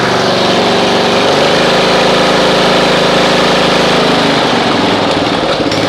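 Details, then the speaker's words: Snapper RER Comet mower, sat about a year, engine about 5 to 7 years old, after 2 to 2.5 hours running fuel additive instead of carb teardown: steady, even idle, no stumbling or surging; normal idle, rough running fixed. "Well, you can see it's already smoothed out. If you guys remember before, it was going and about the maybe 2 to 2.5 hour mark with running that mechanic in a bottle through there, it was just smooth as glass. Like, that's the way it's supposed to run."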